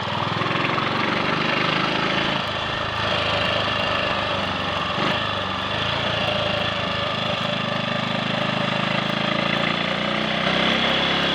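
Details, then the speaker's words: Triumph Sports Cub single after cleaning rust from the fuel tank and fitting a projected-electrode spark plug: steady, even putter on a ride with no stumbles; misfire and cutting out gone, slight hesitation at half to three-quarter throttle suspected from carb needle crud. "It's working. There we are. That didn't miss a beat."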